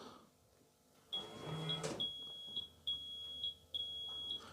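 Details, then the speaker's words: Rolls-Royce Silver Spirit III alarm: four short, high, evenly spaced beeps on arming with a rear door left slightly open, one more than the usual three; warning that a door or glovebox is not closed, working properly. "One, two, three, four. That's telling you that there's a door left open. So, that's working properly."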